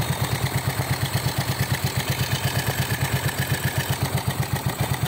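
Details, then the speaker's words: Yamaha Mio, which had overheated and knocked soon after a January rebuild, after repair: even single-cylinder idle thumping about six times a second, steady and clean with no knock or rattle; now quiet and healthy. "Malakas. Ayos. Nakatahimik makina, no? Tahimik. Tahimik na makina."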